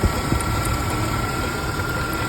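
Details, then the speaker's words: 1993 Ford Ranger 2.3 L idling, mechanic's stethoscope on the belt pulleys: steady high whine loudest at the lower pulley on the belt tensioner; worn tensioner pulley bearing, belt to be removed and pulley replaced. "proviene esta polea que está aquí abajo sobre el tensor de la banda podemos Escuchar más fuerte el sonido"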